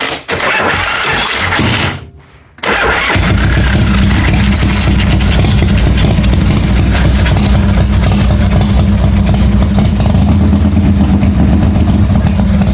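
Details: 1986 Harley-Davidson Softail, first start after getting the starter to engage and sorting the wiring to get spark: starter whirs, the engine catches and settles into a steady, loping twin-cylinder idle with no odd noises; charging works, runs healthy.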